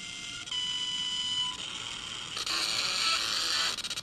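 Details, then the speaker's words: Galaxy Z Fold7 loudspeaker at 175,000 folds in a folding durability test, played before a reboot to rule out software: thin, tinny, buzzy playback with harsh crackling highs and no body; the speaker sounds distorted and damaged. "스피커가 조금 이상해졌거든요. 간단하게 그냥 그 내 소프트웨어 오릴 수도 있으니까 재부팅 해 보고 다시 스피커 이런지 봅시다."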